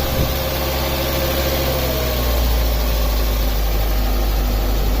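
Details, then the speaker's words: A 1998 Mazda Protege 1.5L with a high idle, emissions monitors not setting and a MAF voltage stuck; a steady low hum with the idle sitting high, apparently because the throttle blade was adjusted so it does not fully close. "I'm wondering if the throttle blade is stop part way open if it needs to be adjusted"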